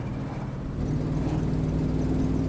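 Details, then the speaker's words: Procharged 1996 Mustang GT under light throttle around third gear: loud raw drone with open unmuffled bark; exhaust leak at header returned after a poor earlier repair, engine also breaking up in third. "I definitely hear the exhaust leak is back, so I guess my really horrible repair didn't last. That sucks. Kind of just sounds like it's open header at this point."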